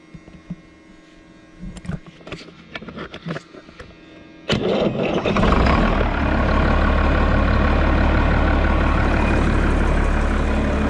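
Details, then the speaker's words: Road grader diesel, starting problem from weak fuel shutoff solenoid spring not pulling shutoff lever fully forward; lever held fully forward by hand, jumped at charger: a few clicks, fires instantly, settles to steady even low idle; normal start. "so now let's go over here to the charger and we'll jump across it and you watch it'll start right up"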